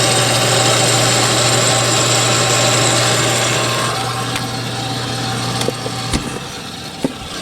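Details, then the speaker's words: Combustion blower fan on a Napoleon NPS-40 pellet stove, switched on before replacement: coarse, gritty whir over a steady low hum from failing, worn motor bearings. "I'll turn it on right quick just so you can hear what it sounds like. Hear the crummy bearings in there."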